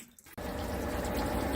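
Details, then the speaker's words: Amana top-load washing machine after unplugging for 30 minutes and reset via start button: click, then water rushes in steadily with smooth, even flow and no buzzing or sputter; normal fill. "So you can hear it. So the water is filling up."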